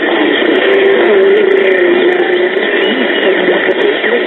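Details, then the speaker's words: 1940s Sentinel AM tube radio after repair and 455 kHz IF alignment: clean, steady music from the speaker with a muffled top end, no crackle or hum; set receiving a music AM station properly. "when you listen to a good music am station that's run right on a decent am radio it can sound very pleasing"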